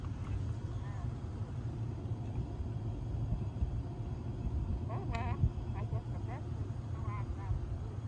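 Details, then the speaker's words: Concord 440 tube reel-to-reel: left-channel playback is faint and muffled under rumble and hiss, with the voice barely audible; a capacitor problem is suspected. "Yeah, you can hear it's fainted. Look at the sound is pretty noisy. You hear that? It's very muffled up."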